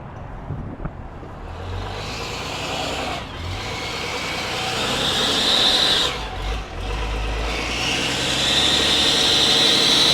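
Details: Cummins diesel work truck at idle: a hissy, high-pitched, belt-like chirping squeak over the engine from an exhaust leak at a warped exhaust manifold flange.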